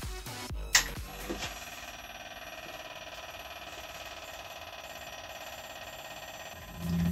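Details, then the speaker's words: Old L&C LC-250ATX computer power supply (seized fan, swollen, leaking capacitors), forced on by bridging the green wire to ground and reading near 12 V. After some clicks, a thin, steady high-pitched whine sits over a low hiss. "if it was 2000 and I was the owner of this power supply I would not be happy about that noise coming out of my computer"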